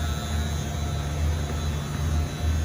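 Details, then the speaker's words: Freezer condensing unit restarted after a coil wash: steady low electrical buzz from a regular contactor someone fitted in place of the Orion-style relay; sounds much better once it is changed. "It's the contactor buzzing. Hear that? That's the relay inside there."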